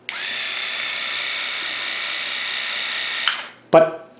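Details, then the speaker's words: WaterPik WP-360 after lubrication, original batteries kept: steady, even high-pitched pump hum for about three seconds with no stutter or rattle, then shuts off; normal pump running. "the older one seems to run a little better if you listen to it seems to run at a higher speed than this"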